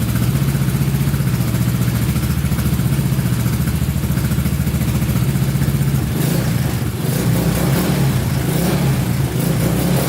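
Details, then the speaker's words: Honda Big Red ATC 200 (200cc) three-wheeler, barn find sat over 6 years, carburetor just reinstalled: steady single thump at idle, then crisp even pickup as throttle opens, smooth regular firing; normal idle and revving. "Oh yeah, sounds pretty good. A little bit more gas in it, see what happens."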